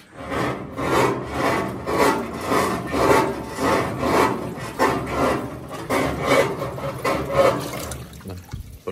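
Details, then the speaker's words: GE washer making an ugly scraping noise from underneath while washing, filled with water: rough scraping rub repeating about once a second with each agitator stroke. "el problema que tenemos con ella desde que hace un ruido en la parte de abajo como que raspar a muy feos"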